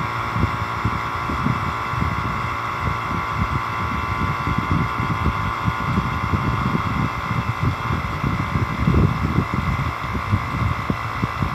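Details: Constant mid-pitched drone with soft pulsing, no knocking or grinding; vacuum pump just switched on, hooked through analog manifold to compressor service port, Elson digital vacuum gauge falling from 30,000 microns; running normally.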